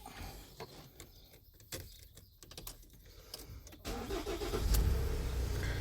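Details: 2017 Ford Transit 2.0L EcoBlue diesel after repairing a crank no-start (P0016/P0340) caused by a failed wet cambelt. Timing reset, fuel and oil pressure bled: quiet clicks, a short crank, then it fires straight up into a smooth, even low rumble. Normal start.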